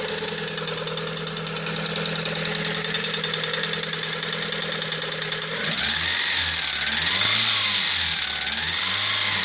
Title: Стук двигателя приора